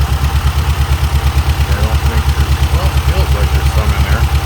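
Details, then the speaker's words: Shelby (Dodge Omni-based GLHS) parked 20 years, first run attempt with no coolant: deep lumpy idle thumping about three times a second with a stumble, suspected one cylinder missing; owners suspect an injector or that cylinder. "i feel like it was empty though so we should probably shut her down and maybe take a look at that um injector or the cylinder"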